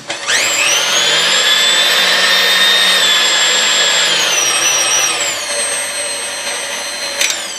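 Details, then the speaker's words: KitchenAid KSM5 stand mixer after maintenance (grease and gasket replaced, brushes and bearing checked, rear bushing lubricated), run while checking speeds: a smooth, steady motor whine that steps down cleanly with speed, no grinding or knocking; healthy. "fallacy sounds you know really good Iran good when it came in but obviously the Greece was pretty crappy in it and stuff"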